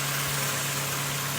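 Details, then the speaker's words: Power steering pump after topping up an empty, leaking system, engine idling: steady low drone with hissy wash as air purges; working the steering lock to lock quiets it, then re-top to finish priming. "you work the steering all the way one way all the way to the other all the way to one way and you'll hear it eventually quiet itself down then retop it up and then then that's it primed properly"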